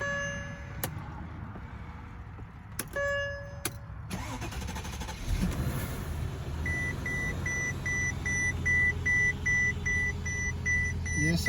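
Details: 2007 Mercedes-Benz S550 base model after fuel pump replacement, primed with the key first. Dash chimes, then the engine cranks, catches and settles into a steady idle that keeps running. Starts and idles normally.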